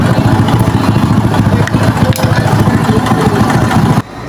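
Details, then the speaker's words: Motorcycle that only revs to 6000 rpm: stumbling idle with irregular putts about three per second, never settling, then it cuts out. Carburetor adjusted; won't hold idle, cause undetermined. "Yan, kahit anong adjust na natin sa kanyang karburador, asthmatic pa rin yung kanyang andar, pumupugak-pugak pa rin, parang inuubo."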